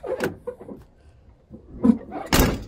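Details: Chevy truck door after its hinges were lubricated with PB Blaster: it opens and closes with soft clunks and a latch click, with no squeak or creak, so the hinges move freely.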